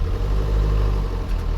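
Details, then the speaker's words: 1967 Land Rover Series 2A diesel, first drive in first gear after 3 years in storage: a deep, heavy rumble pulsing slightly unevenly. It runs rough and juddery and smokes heavily; owner suspects this is from sitting. "It's smoking like a bugger. I can't remember it smoking as bad as that. Maybe it's just because it's been sitting. But, oh my gosh. It's a bit juddery."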